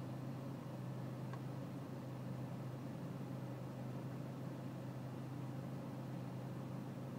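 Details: BMW E46 320cd diesel, cold with low engine and outside temperature, low steady clatter at idle with a constant deep drone and no rev changes; rough idle, cause not pinned down while air-mass and selective mass adjustment are checked in INPA.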